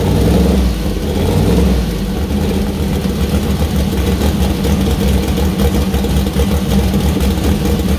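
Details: First start of freshly built 2000+HP LS V8 (Dart LS Next block, 4in stroke, Brodix BR3 heads, .750 lift solid roller cam): lumpy deep idle with clean rev blips settling evenly, no knocks; runs well, minor oil and water leaks.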